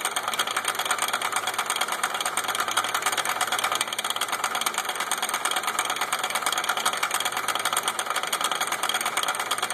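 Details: Suzuki with a separated CV joint on a broken driveshaft: a fast, steady metallic ticking, about three a second, over a quietly running car; the customer reported a slight clicking noise.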